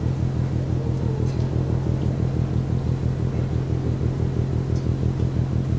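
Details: Container ship Maersk Taikung at Port of Genoa Pra', 1 a.m., recorded from over 1 km away: a deep, even rhythmic banging at about two beats per second over a steady rumble; cause unknown.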